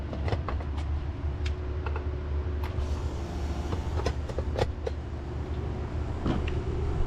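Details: Central AC condenser after repair of blown transformer, low-voltage fuse and shorted contactor: steady low hum with faint constant tone under a few handling clicks; running smoothly, cooling again.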